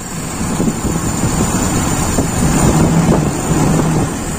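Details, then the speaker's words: Toyota Kijang Super carburettor with a rough, surging idle. The primary-to-idle jet ratio is normal, but the engine revs cleanly only with the intake nearly fully choked. This shows the idle mixture is too lean. "perbandingan antara spier primer dan stasioner itu tidak ada masalah itu masih normal hanya campurannya di stasioner itu terlalu miskin hampir kita tutup penuh ya"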